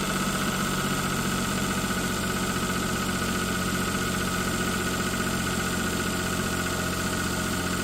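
Steady idle with a rough, slightly uneven rattle under a constant drone; something abnormal in the engine, no cause pinned down.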